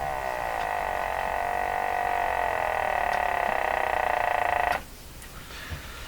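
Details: Canadian Spartan Model 5542 tube radio on dim bulb tester, about 78 volts reaching it, tubes warming slowly, after restoring speaker cable and new power cord; buzzy speaker tone pulsing about four times a second, drifting in pitch, then cutting out: motorboating oscillation, cause unknown.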